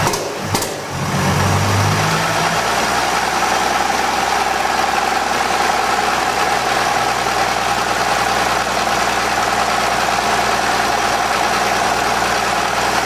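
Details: 1920 Seagrave fire engine, freshly fully rebuilt engine's first start in 60 years, compression release off: after a short catch it settles into a smooth, steady idle with even rumble and no knocks.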